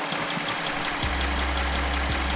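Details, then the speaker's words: Audi S6 bought from Copart, first start after new turbo install, run briefly with no coolant: a steady, even idle under heavy hiss with a low drone settling in and no obvious knock. "sounds absolutely fine just get in here give it a quick few revs"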